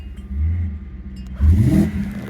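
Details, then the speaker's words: 2008 BMW 750i, previously crank no start, now running: low rumble at idle, then stumble before revs climb; tip-in hesitation, cause unclear. "I don't know what that hesitation was, but there's a little bit of a hesitation."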